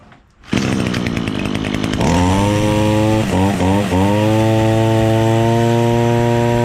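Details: Echo SRM-225 two-stroke string trimmer after removing clogged exhaust screen that caused bogging: starts and settles into a clean, steady high buzz without bogging.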